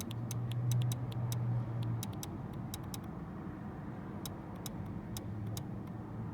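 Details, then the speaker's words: 2001 Buick Century with the key in the ignition: the idle air control valve makes a faint, sharp tap-tap-tap about three times a second over a low hum, traced to the valve with a stethoscope; it is the suspected culprit. "what i did notice is this idle air control valve down here with the key in the ignition is making sort of a tap tap tap noise"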